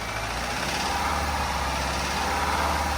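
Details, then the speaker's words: 2010 Subaru Forester 2.5L EJ25 boxer, cold start, revs raised off idle: steady even drone with the knocking gone; normal piston slap for this engine that fades with revs and warm-up. "see you don't hear nothing now you don't hear no banging or nothing and as it warms up it gets more quiet all right that's the traditional piston slap that these cars have"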